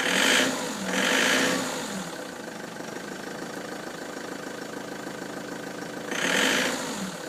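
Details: Ford Transit van with codes P0149 and P1564: idle with busy, uneven clatter and a few short rev bursts; abnormal engine noise at idle, cause not pinned down.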